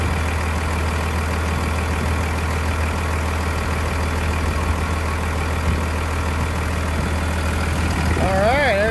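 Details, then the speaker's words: 1999 Cummins diesel after a new Thoroughbred Diesel injection pump, injector lines bled, on a frigid winter day; steady, even idle with a smooth low rumble and no knocks or misses, idling normally. "sounds pretty good thanks pete i'll let her run for just a little bit then we'll shut her off"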